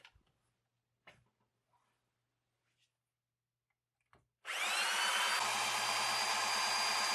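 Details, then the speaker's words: 3D-printed air compressor driven by a drill, held in a bench vice and pumping into a water bottle with a boost gauge: a high drill whir with a fast pumping beat that slows as the pressure rises, so the compressor labours as pressure builds. "we have a look at the boost gauge you'll see that as the pressure increases it starts to slow down"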